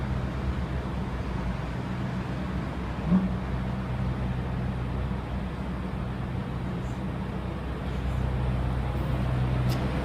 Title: Meriton apartments broken air conditioner banging noise